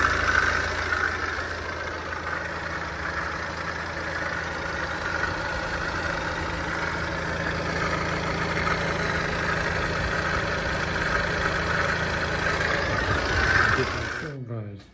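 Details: BMW N47 diesel at idle, noise from front of engine: rhythmic knock and whirr that stops at shutoff; failing coolant pump, confirmed by removing belt and rotating pump, fixed by replacement.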